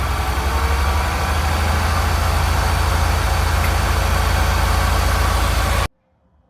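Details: Mini Cooper with a P0304 misfire code, held at 2000 rpm during intake valve cleaning: runs unevenly with a lumpy, stumbling beat. The misfire moved to cylinder 3 after swapping its coil pack, so the owner suspects a bad coil.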